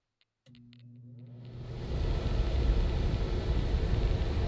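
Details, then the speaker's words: Conventional rooftop RV air conditioner switched to cooling mode, set to 55: the fan spins up into a loud, steady low rush with no compressor hum yet; normal fan-only running before the compressor starts. "that is loud that's just the fan compressor hasn't come on yet should come on in a second"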